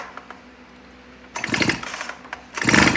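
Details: Stihl two-stroke leaf blower reassembled from a box of parts, spark plug out for a spark test: two sharp recoil pulls spin it briefly without catching. Cranking is normal and spark is present.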